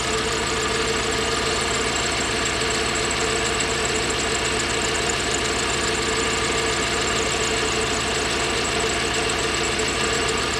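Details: Toyota 1UZ-FE V8 (Surf/4Runner) running on 4 cylinders: lumpy, uneven chuff with a steady stumble instead of a smooth V8 burble; misfiring on half its cylinders.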